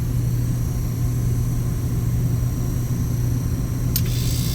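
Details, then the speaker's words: Tecumseh compressor on a glycol chiller unit, fitted with a temporary start capacitor: starts and runs at 118 volts and 6 amps with a steady, smooth low hum, no knocking or stalling; normal running. "Compressor starts, 118 volts, 6 amps. So the compressor started. We're going to let this run while I'm gone."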